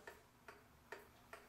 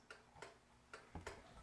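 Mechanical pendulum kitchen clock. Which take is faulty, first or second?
second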